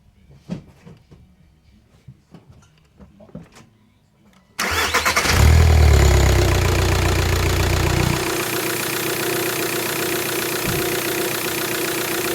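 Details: Mk4 Jetta TDI (BEW engine) started after a belt tensioner replacement; it sounded horrible before. A few clicks, then it cranks, catches and flares before settling into an even, steady diesel idle clatter; it runs normally.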